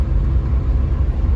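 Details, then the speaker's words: Great Wall Hover H5 4D20 diesel, freshly rebuilt after a timing belt break, driving with windows closed and temperatures normal: a soft, even engine drone under steady winter-tyre rumble, with no knocks or rattles. Engine runs smoothly. "Ну это не критично в целом автомобиль едет прям приятненько хорошо мотор работает очень мягко приятно его Я думаю в принципе вам сейчас слышно"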